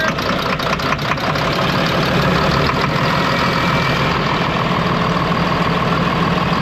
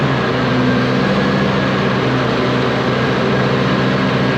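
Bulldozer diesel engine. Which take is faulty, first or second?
first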